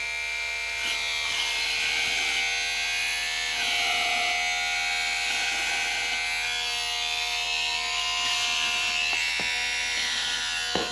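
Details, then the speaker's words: R/C monster truck (Marui Big Bear) small electric motor on power supply before oiling: steady whine with dry raspy buzz from dry bearings; noise improves after oiling the bearings. "this motor does not sound that great we'll give you an example here it's not that bad"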